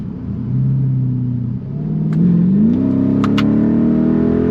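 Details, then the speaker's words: Mercedes CLK55 AMG (M113 V8) test drive after breather hose replacement, intake manifold cleaning, new MAP sensor and vacuum leaks fixed; engine note climbs cleanly with no stumble or hesitation, idle smoother; smooth acceleration. "It accelerates pretty smooth, feels a little bit faster, but I don't know if it's just like, you know, when you haven't driven your car in a while, it just feels different."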